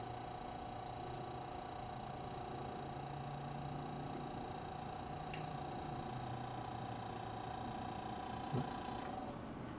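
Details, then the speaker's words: Restored GE CK26 Monitor Top refrigerator cooling unit that had stopped cooling, drawing 0.8 amps. A faint steady tone over a low hum is heard before it is shut off. Suspected excess pressure on the high side, possibly too much SO2 with a blocked float filling the condenser with liquid. No boiling heard in the evaporator. "Sounded like it was building up too much pressure on the high side. Heard that noise start up, so I shut her down."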